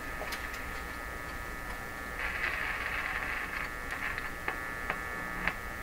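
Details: Canadian Viking EMU61 AC/DC tube tabletop radio powered up through an isolation transformer and series bulb tester: steady buzzing mains hum under faint static and clicks; a loose tube found, cause still unclear.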